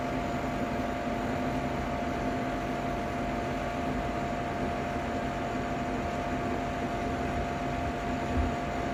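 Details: Ninja Foodi 8-in-1 cooker running cold, though the owner says the unbearable noise comes after it warms up: steady loud whirring with a constant droning hum; noisy fan assembly, cause not identifiable by ear.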